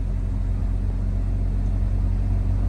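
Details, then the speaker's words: Idle of a 2017 vehicle at auction, engine running: a low, steady rumble with no misses, knocks or ticks, extremely smooth; normal idle. "This engine, I mean, listen to this thing idling. It is smooth."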